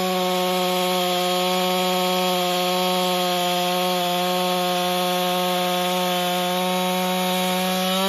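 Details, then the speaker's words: Husqvarna 562XP chainsaw after repair (bent decomp valve air leak found, piston replaced, pressure and vacuum tested; autotune settling in): holds a clean, steady high pitch through the cut with no stumbling or surging; runs healthy under load. "seems to run fine I was a little disappointed that it didn't start right away"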